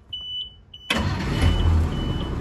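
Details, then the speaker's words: Abandoned Thomas Built school bus with an 8.2 L diesel, after replacing the dead starter solenoid: a few faint beeps, then the starter engages and it fires immediately, settling into a steady low rumble. A clean, normal start. "no [ __ ] way start it right up all right i don't know how they're supposed to sound but it sounds like perfect"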